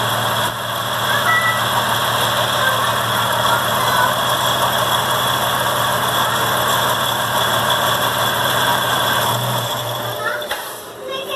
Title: Bad Water Pump noise on a Dodge 3.7L Part 2